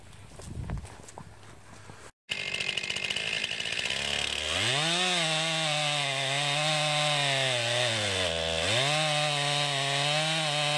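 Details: 2020 Stihl MS261 chainsaw, non-M-Tronic carburetor, 20-inch bar, cutting straight down then plunge-cutting a poplar log about 1.5 ft: high, clean engine scream dips evenly under load and recovers; cutting strongly.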